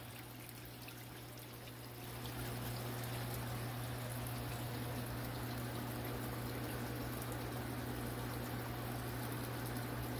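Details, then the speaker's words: New SunSun HW304B canister filter on a 125-gallon tank, replacing an old one that rattled: only a faint low hum under trickling water, with no rattle. It runs quietly and normally. "that's what a sun sun filter is supposed to sound like it's not supposed to sound like anything you just are not supposed to hear these filters"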